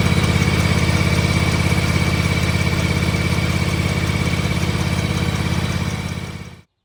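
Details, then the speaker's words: John Deere X590 lawn tractor at idle, mic moved around the tractor: a light, even tick about three times a second over the engine drone, first noticed while towing a small trailer; cause found underneath. "I'm going to try to get the ticking noise on video for you. I don't know if you'll be able to hear it because obviously the engine's got to be running."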